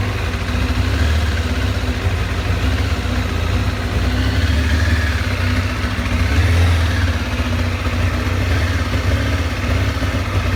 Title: 2007 Kawasaki ZZR600 rough idle